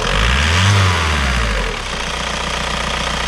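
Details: Skoda Octavia 1.9 TDI 110hp (VW engine) after injection pump replacement and injection timing adjustment, done to fix hard cold starting, which now seems better. After a brief dip in revs it settles to an even, steady idle around 900 rpm with no hunting.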